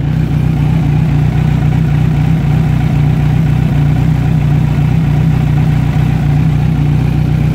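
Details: Kawasaki Z900 on side stand: even, steady idle hum at constant speed with no cam or rocker ticking or tapping; valvetrain sounds quiet and healthy, normal idle.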